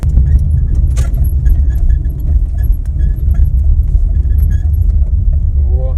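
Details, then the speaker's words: 2019 Lada Granta FL, creaks since new: irregular short chirps and creaks over heavy road rumble while driving, from a shifted door rubber seal rubbing the body; left side quiet. "вот этот звук В общем вот трёт нет левая не шумит вот тоже резинка надо вообще Чт"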